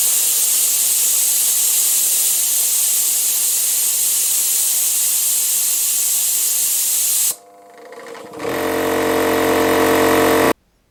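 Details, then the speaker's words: Air compressor after a new pressure switch was fitted (restarts at 0.55 MPa, builds to 0.9 MPa): a loud steady hiss for about seven seconds, then the motor hum returns. The pressure relief valve vents at maximum-pressure cut-out. "But the pressure relief valve opens at max pressure. It makes compressor busy."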